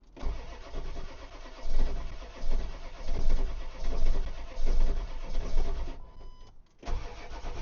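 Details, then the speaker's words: Ford 7.3 diesel with aftermarket stick-on block heater, which used to fire right up, cranks in cold weather with slow rhythmic starter surges about one per second and never catches; cranks but won't start, cause undiagnosed. "My name is Justin and this Ford will not start and I don't know why."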